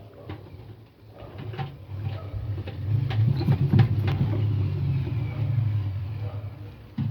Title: indesit making squeaking noise . What is Wrong ?